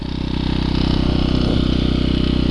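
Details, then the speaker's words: Champion 1200/1500 W generator, small single cylinder, about 4,000 hours, sat a year before restarting, some bolts loose or missing, no smoke; steady, even thrum with no misses or surging; running smoothly. "to her running she ain't hitting or missing she running like a dream"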